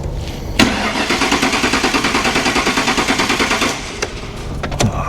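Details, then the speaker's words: 1957 Ford Ranch Wagon in a body/chassis swap with a Mercury, ran earlier that morning: starter churns steadily about three turns a second with no firing; crank no start, caused by a tripped fuel pump inertia switch. "Now I've just got to figure out why it won't run. Because it's me. I had it running this morning just fine."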